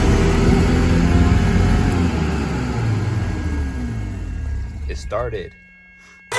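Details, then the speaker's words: Mazda RX-7 rotary first start after carburetor rebuild with homemade gasket; lumps along unevenly at about four pulses a second, wavering and hunting before cutting out; runs really rough, carburetor still needs tuning. "Alright, so yeah, the car runs now. That's very good. Runs really rough."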